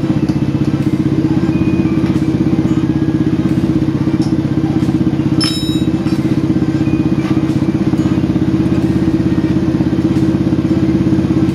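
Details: Old motorcycle engine after replacing the crank, its bearing and the piston: steady, even putter about four beats a second with a smooth low hum, no knocking or rattle. Normal idle.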